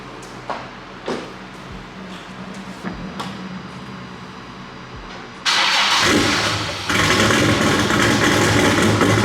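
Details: Nissan S15 running without O2 sensors and with probable boost leaks, after a smoking issue resolved: the starter cranks and catches quickly, then holds a steady, even, throaty growl with a clean rev and no stumble or misfire; normal running.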